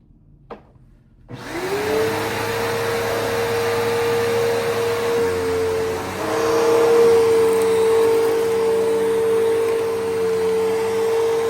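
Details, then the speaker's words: Bissell PowerForce 3522-1 upright vacuum, motor lubricated after squeaking: spins up to a clean, steady mid-pitched whine on carpet with no squeak or rattle; sounds healthy. "this motor was squeaking, so I lubricated it. It should be fine now."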